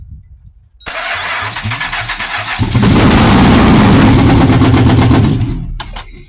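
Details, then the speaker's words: Pontiac Grand Prix GXP revival, new radiator fitted, fuel pump heard priming: cranks, catches and runs briefly, then cuts out cleanly because the anti-theft security system disables starting, not a fuel or spark fault. "now because because that security issue it dies because it says starting disabled due the test system but it runs in the car so it is a huge plus"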